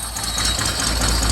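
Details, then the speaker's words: 1971 Mercedes 250 at idle: uneven, lumpy beat with a faint hiss, rough shake and possibly lower power, though it drives fine. One cylinder's spark plug is suspected of not sparking, possibly a cylinder fault; unconfirmed. "you can hear the engine sounds a little rough. And so I tested the spark plugs, and I think I found why"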